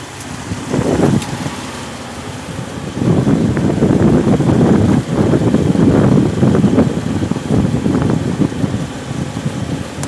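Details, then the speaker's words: Bone-cold 1965 Jeep CJ5 just fitted with an XF Falcon electronic ignition, jump-started: labouring cranking then uneven surging run that stumbles and recovers; flooding, owner suspects fuel supply or carburettor issues; rough running on cold start. "okay hey it's bit funny at the moment because it floods so I don't really know but once it gets going is not too bad"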